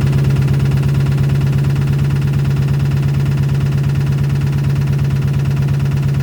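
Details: 2006 Chrysler 300 5.7 Hemi, bought cheap, just after first start: steady idle with a sharp regular tick about three per second; owner suspects lifters or rockers, cause not confirmed.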